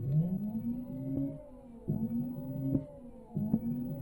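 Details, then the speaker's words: Yadea EM-163 Harrier 60V electric moped before battery replacement: rising motor whine that sags and cuts out in short bursts; it spins freely but any weight makes it quit, tired batteries unable to hold the motor under load. "but yeah it doesn't seem to be happy and that is moving quite well well but once you put any weight on this whatsoever it's gone"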